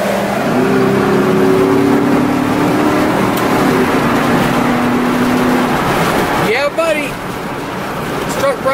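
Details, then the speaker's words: 2010 Chevy 2500 HD 4x4, 6.0 Vortec V8, about 88,000 miles, cruising: steady even engine drone under road and wind noise, no knocks or misses; V8 pulls smoothly and runs as it should. "smooth down the road in town or on the highway you name it"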